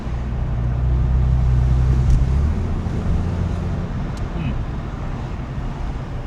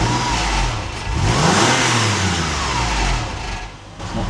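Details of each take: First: 1999 Porsche 996 911 idling noticeably better after repair, no longer dipping below 1000 rpm; low even rumble with faint road noise, smooth healthy idle. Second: Porsche 996 flat-six being revved, tinny flappy rattle over the engine note, worse when cold and off throttle; not misfiring, suspected rattling exhaust heat shield or loose bracket.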